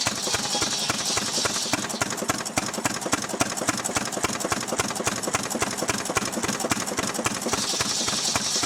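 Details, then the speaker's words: Restored 6 hp Fairbanks Morse Model Z stationary engine running on kerosene, driving a buzzsaw cutting firewood: steady, even firing about three and a half beats a second, crisp and regular; normal, healthy running under load. "Got it running now. It's running on kerosene. I'm gonna head over now and cut up some wood."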